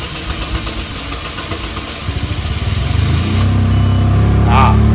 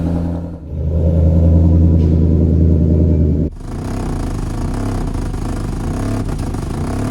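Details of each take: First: $500 2004 Chevrolet Malibu Classic with hard starting, settling into an uneven, loping idle that stumbles about four times a second; owner says it's not running on 1 or 4 cylinders and stalls when given gas, a misfire. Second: No matter how expensive the repairs are or what's wrong with it, one turn of the key and you hear that bark, and all is forgiven.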